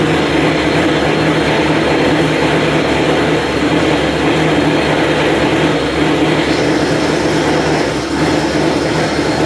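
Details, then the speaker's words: Truck engine, first run with the radiator filled and bled, before a ring break-in drive: steady, even roar with no knocks or ticks; the engine runs smoothly. "So, we're going to start it up, let it run for a few couple minutes maybe. um make sure nothing's wrong"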